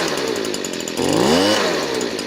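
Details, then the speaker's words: Warmed-up Stihl BG56C 27cc 0.9hp two-stroke leaf blower with Zama carburetor: low-speed adjuster turned all the way counterclockwise gives a low, muddy, boggy idle that stumbles and picks up slowly on throttle. About half a turn separates this from running right. "Alright, so if we turn it all the way to the left, notice it's boggy and the idle has dropped."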